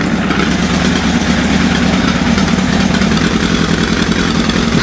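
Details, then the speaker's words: GS motorcycle, first start after long storage, warming up: lumpy, fluttering tick-over with beats dropping out, running on three cylinders; fires when revved but one cylinder not getting fuel at idle, owner suspects sticky carb. "you can hear it i don't know how the sound's gonna come across on the microphone but it's it's cluttering your fluttering and obviously it's not getting fuel"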